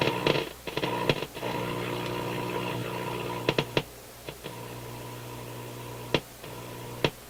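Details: Motorola MK 56-H five-tube radio warming on light-bulb restricted power after new filter capacitors soldered in; steady low hum broken by irregular crackles and pops; owner suspects board flexing cracked a trace.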